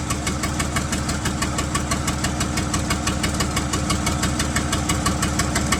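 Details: 1975 White 2-150 tractor diesel, first run after about 19 years dormant with no exhaust muffling: loud, even clatter at a steady idle of about three beats a second; running cleanly.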